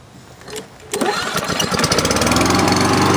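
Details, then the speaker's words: Kohler Courage XT149 engine on a Lawn-Boy mower, fitted with a brand-new carburetor after service: catches on the first pull and settles into a steady, smooth run with no misses. Normal start and idle. "we go fires up in one hole no problem good to go sounds good engines right nice and smooth"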